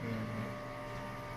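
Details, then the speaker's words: American Home automatic washing machine after repair of a drain fault, spin-dry cycle: steady even hum of the drum with no rumble or grinding; parts underneath are rusted but it stays quiet, bearing still fine. "Okay pa naman kahit na bulok na yung mga ibang part sa ilalim at least tahimik pa rin siya wala pang problema yung bearing"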